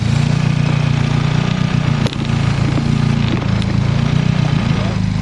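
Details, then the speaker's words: Turbocharged engine with a P0507 high-idle code: steady low idle hum falters, then settles into a different rhythm as brake parts cleaner sprayed near a tee fitting finds a vacuum leak, a hole in the tee. "That right there I think is a significant change in idle, my friend."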